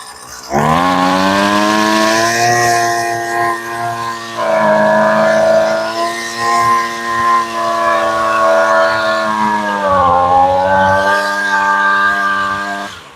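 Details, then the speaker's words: Husqvarna trimmer after a quick carb change, not run for a while: held near full throttle while the high-speed screw (farthest from engine) is tuned by ear, pitch wandering and dipping then leaning toward a clean scream; high-speed mixture adjustment, sounds really good. "That sounds really good. Let's adjust the idle just a touch more. And you're really doing this by ear."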